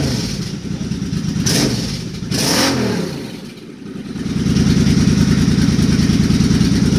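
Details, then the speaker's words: Suzuki Boulevard C50 V-twin after a new fuel injector and Cobra FI2000 fuel controller install: lopes evenly at idle and picks up cleanly on sharp throttle blips, no misses or popping; controller green light on at idle, running fine. "sounds to me like it's running fine oh there's yeah the green lights on"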